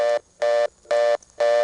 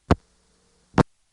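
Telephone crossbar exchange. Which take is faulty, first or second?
first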